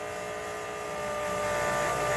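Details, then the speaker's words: Dodge Daytona stock car with a cobbled-together engine just reinstalled, fuel valve opened and possibly stale gas, fuel pump run by button into a jug before connecting the rail: steady high electric hum rising in pitch for two seconds then cutting off; moving fuel normally. "Gas probably in this thing, I bet, isn't too nice neither. Oh, there it goes. She's moving fuel."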